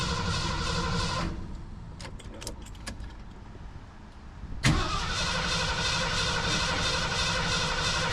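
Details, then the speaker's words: 1980 Ford Bronco, sat 8 years, new 33-gallon fuel tank and sending unit, rigged fuel line: starter cranks steadily, pauses with clicks, cranks again while fuel is still filling the line. "yeah, well, it's filling the line right now, but it's, you know,"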